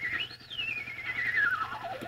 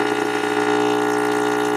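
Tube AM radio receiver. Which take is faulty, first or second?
first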